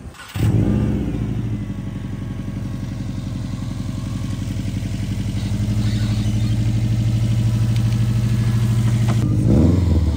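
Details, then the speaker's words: Salvage turbo car from Copart with 95,000 miles and an aftermarket blow-off valve, jump-started: engine catches and revs cleanly with no knocks; power steering struggling slightly, possibly low fluid. "pretty cool sounds pretty good power steering struggling a little bit but not bad yeah definitely sounds nice"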